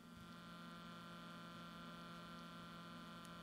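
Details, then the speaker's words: Alphacool Eisbaer 280 AIO CPU cooler pump, microphone in contact with the pump: soft steady hum, even tone, no rattles or gurgling, barely audible inside the case; normal pump running. "hear a light hum and with the microphone in contact with the moat with the pump you hear it barely audible when it's in the case"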